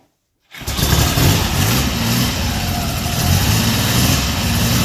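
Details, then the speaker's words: 1974 Triumph Trident fouling a plug: one ignition coil's windings are broken, so it sparks on test but weakly under compression; problems start after 15–20 miles. The engine catches and settles into an uneven, lumpy idle: misfire from a failing ignition coil. "At this point, I'm fairly confident that we have one coil that's just about failed. Yeah. Because it still does spark, but I think under compression, it's not sparking well."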